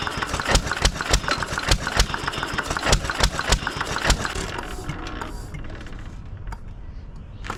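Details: 1920s Taylor Model B hit-and-miss vacuum engine, long unused, restarted after fuel work, choked to burn old gas; sharp exhaust pops about three a second then quiet coasting between firings, governing normally, steaming in the heat.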